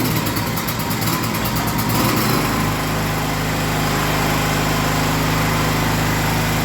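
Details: Gasoline generator that had shut off after 5 seconds because the fuel inlet hose was pinched by the air-vent frame, now reconnected: rough for a couple of seconds, then a steady, even drone; fixed and running smoothly.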